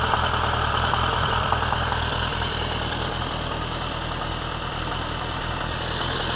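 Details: Suzuki Bandit 1200 K3, 29k on the clock, warm idle: light steady knock three or four times a second, only when warm, persists with clutch pulled, inaudible under load while riding; worsening over a year, source undetermined.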